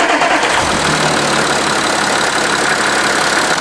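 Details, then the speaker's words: Diesel engine started after removing and refitting injectors, lines retorqued and fuel system bled with a tester: steady, even idle with light clatter, no misses or knocks; running very well, normal idle. "läuft richtig gut richtig gut"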